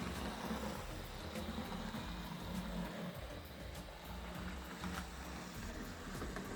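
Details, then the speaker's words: Fleischmann V100 switcher model locomotive after service and tune-up, at low speed: steady, even motor hum with regular track clicks, no binding or grinding. Running smoothly after the service. "It's running very smooth. I like that. I think the service really helped it."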